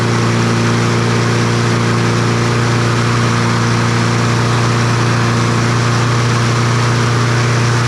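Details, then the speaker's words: Troy-Bilt TB200 push mower, Briggs & Stratton 550e 140cc engine, old dark oil, before service: steady, high, droning hum at one pitch with no load; engine over-revving. "I don't know why that thing was revved up so high"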